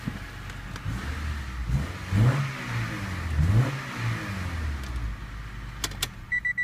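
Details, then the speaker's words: 1995 Honda Civic Si coupe, 1.6 manual, after new resonator/intermediate pipe and muffler: deep, even engine note through a few revs, quiet with no major exhaust leaks, only slight hiss at a flange when the tailpipe is covered. "So all you hear right now is just basically engine noise. That's all we really want, right? It's nice and quiet. Doesn't seem to be any major exhaust leaks."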